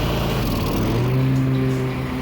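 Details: Troy-Bilt zero-turn mower with a twin-cylinder Kohler engine, after a wiring harness fault was fixed and the oil and pre-filled filter changed: strong, even engine note settling to a steady, slightly higher pitch with no knocks or miss.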